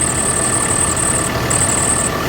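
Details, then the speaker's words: 2016 bus with 6.7 Cummins diesel idling: thin high squeal comes and goes in long stretches over the engine; serpentine belt slipping from weak tensioner, fixed by replacing the tensioner. "driver says that the belt is squealing it doesn't want to stop so let me go ahead and turn this sucker on so you guys can hear this"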